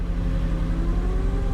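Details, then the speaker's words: Flex-fuel salvage car with a very weak battery, jump-started cold: steady low rumble with a constant airplane-like roar from the secondary air injection pump running during cold start warm-up. "she started I hear the air injection pump that sounds like a freaking airplane taking off"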